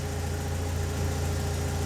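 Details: 2004-2006 BMW 116i E87, N45B16 1.6L race car, remapped ECU, special exhaust, warm, oxygen sensor swinging 0-1 V, fuel trims settling: steady even low hum, no misses, knocks or ticks; normal warm idle.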